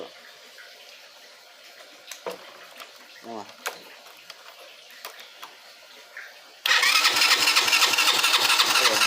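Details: 50cc motorcycle that starts on the kick but not on the electric start, with the ignition coil and spark being checked: a fast, even starter churn for a few seconds with no firing; cranks but won't start, cause suspected, not confirmed.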